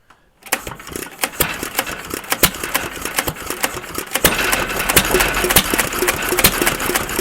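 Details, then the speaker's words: Stover CT1 1.5 HP hit-and-miss engine with Wico WK magneto, long troubled by the magneto armature not separating: sharp, uneven firing pops with irregular gaps, then the beat fades; engine stalls, cause unknown to owner. "All right, not sure why it stopped. Maybe, I don't know."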